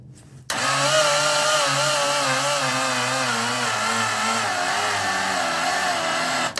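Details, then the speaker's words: 1961 Triumph TR3A barn find, off road since 1985, new high-torque starter via original push-button solenoid, fresh oil, about 20 degrees: steady grinding crank sagging in pitch for six seconds, no start; slow cranking, thick cold oil suspected. "So that's turning. We are definitely turning this engine. It doesn't like it. Getting slower and slower. My guess is that oil is super thick and it does not like it."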